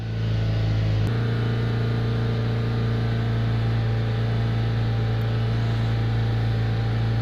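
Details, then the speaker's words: 2005 Chevrolet Astra, overheating fixed by replacing a fan relay: engine held at 3500 rpm with deep even drone as cooling fan enters high speed; temperature drops 10 degrees within about 30 seconds; normal cooling fan high speed. "se escucha cómo ha entrado el ventilador en segunda velocidad quizás no alcancen la nota pero yo si lo percibo la temperatura comienza a bajar aún manteniendo el motor acelerado"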